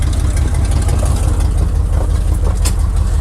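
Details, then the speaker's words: Once-abandoned, barn-stored Chevy C10 square body, just started, idling rough before an errand run: loud raspy low rumble with uneven puffing pulses from big exhaust leaks; owner also suspects a cracked distributor cap. "We've got some garbage that we got to take. Big exhaust leaks."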